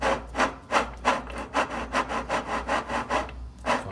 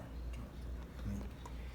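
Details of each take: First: Easy washing machine that leaks water, transmission shaft turned by hand: rough scraping rub two or three times a second from worn transmission bearings; seal also leaking, riveted transmission to be replaced. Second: Washing machine transmission with new bearings installed, turned by hand after repair: low, even murmur with only a few faint ticks, no longer noisy; bearings rotating quietly and smoothly.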